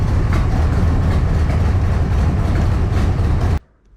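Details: 1985 Camaro Z28 V8 at idle with Thrush 21214 glasspacks fitted: deep, steady, muffled rumble, no distinct ticking; owner believes a bad exhaust leak somewhere, car also smokes heavily, source unknown.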